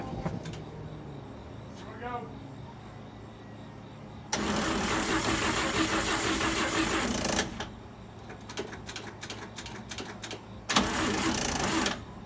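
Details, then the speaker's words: 1955 Chevy Bel Air inline six after a tune-up (plugs, wires, cap): two long harsh cranking bursts of about three and one seconds, the engine never catching, so the starter burned up. "And at this moment, we had no idea we just burned up another starter."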